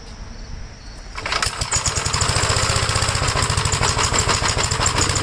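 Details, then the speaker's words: 1956 Gravely L, cold engine, choked and throttled up, with vacuum leaks already checked. It starts on the first pull, then chuffs at roughly 200 beats a minute with ragged, uneven firing. The rough running is unexplained; the owner is unsure what happened inside the carburetor. "you can uh hear that it's not running right at all but it starts on the first pole when the engine's called"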